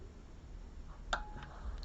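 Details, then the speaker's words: Noco Boost Genius jump starter after repair, boost activated: one short, clear click of the relay pulling in, where before the repair no click was heard; normal relay operation, and it then outputs boost voltage. "and this time we should hear the relay been activated and we are at Clear audible click of the relay being activated"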